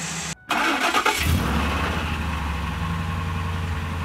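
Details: 2002 Ford F150 5.4 2V, cold winter start-up after timing chain and oil pump replacement: catches and settles into a fast idle with a hollow, rapid light knock under the rumble, typical of cold piston slap.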